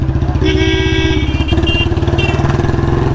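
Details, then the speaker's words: Royal Enfield Bullet Standard 350 single-cylinder, riding as the petrol runs out: steady thump with occasional dropped beats and stumbles. Misfire from fuel starvation. "कल से ऐसे ही दौड़ा रहा हूं यार लो missing start हो गई है"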